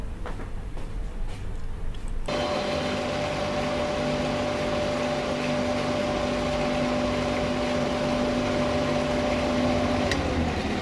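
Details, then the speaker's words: 1HP water pump motor after bearing and 16 mm mechanical seal replacement, running empty with no load on the ground and not fully bolted down: a smooth, steady hum with slight noise from the loose screws; the motor is healthy. "यह motor पूरी तरह से fit है, लेकिन खाली चलने के कारण इसमें से थोड़ी सी आवाज आ रही है।"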